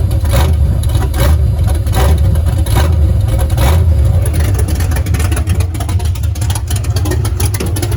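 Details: Foxbody Mustang, freshly installed 331 stroker V8 with Comp Cams, T5 manual, first start: deep, lumpy idle with a few throttle blips, firing steady and even; fresh engine running cleanly.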